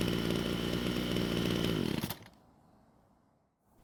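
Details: Ryobi string trimmer that wouldn't start, test run after cleaning debris from the fuel tank: steady high two-stroke buzz for about two seconds, then clean cut-out; runs evenly, though the attachment was noticed loose.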